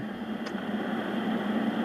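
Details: Juliette NA-1114 radio after volume control replacement. Steady, even hiss-like rushing under the audio developed after a few hours of play; a transistor is suspected and a signal tracer will be used to locate the noisy stage. Rushing noise.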